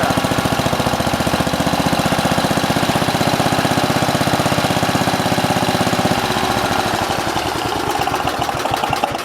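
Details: Simplicity 7010 lawn tractor, single-cylinder engine just restarted after head removal and new spark plug (old one sparked intermittently), throttle set low: loud raspy open exhaust bark at steady idle; muffler rotted through and leaking, needs replacing.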